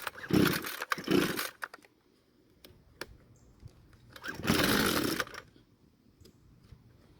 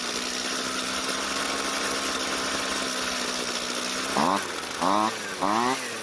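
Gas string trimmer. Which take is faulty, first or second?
first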